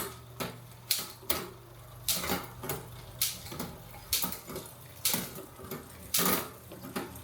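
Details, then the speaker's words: Marin mountain bike rear freehub after servicing play in the axle and freehub: soft, quiet clicking as the wheel coasts and slows. It is a bit over-greased, so it spins less freely and sounds quieter, which should free up in time. "I have a little bit too much grease in the rear hub at the minute, so she's not spinning as freely as she was, and she's a lot quieter, but that will free up in time."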